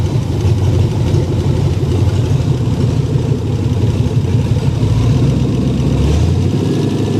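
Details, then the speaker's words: Ranger just after engine rebuild, first run about 10 minutes, open headers, over 75 psi oil pressure: deep, even throaty idle, steady low rumble, no clear knocks; owner unsure about faint possible lifter noise; normal idle. "not [Music] doesn't sound too loud for open headers"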